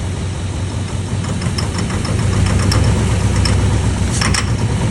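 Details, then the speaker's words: 50-year-old 5-window vehicle, long sat, fuel with some water in it: smooth idle, but on throttle crack a sharp metallic tick-tick-tick about three a second; suspected detonation from bad fuel, not confirmed. "So if you have a smooth running in here, everything's hitting, everything's nice, everything's happy. But as soon as he cracks the throttle up, you'll hear that first initial tick-tick-tick-tick."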